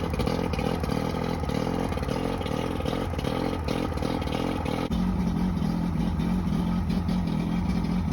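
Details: Johnson 90hp outboard with two starboard cylinders misfiring: uneven, lumpy, stumbling running. Spraying starter fluid on both starboard cylinders got no response; owner suspects a bad power pack.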